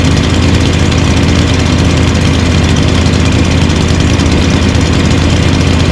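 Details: Lawn mower engines (stand-up, push and big mower) idling after winter storage, unused since December with fuel stabilizer added: a steady, even low drone at constant speed with no misses or knocks. A normal idle.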